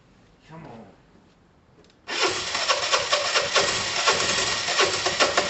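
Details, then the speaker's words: Dumped Piaggio Typhoon 125 scooter, first start attempt after only a spark plug change, coil connection fiddled; engine catches with uneven stumbling beat about two per second, practically starving, struggling to stay running: intermittent firing, cause unconfirmed. "it's practically practically starving come on"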